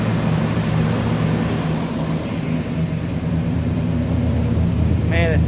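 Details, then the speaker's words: Chevy S10 with a cammed V6, first cold start in six months after a new clutch, new flywheel and rebuilt power steering pump: it fires on the first try after a brief hesitation and settles into a lumpy, uneven cam-lope idle without misses; healthy. "okay fired up on the first try it hesitated there for a second but it fired up yeah that's what that uh cam v6 sounds like"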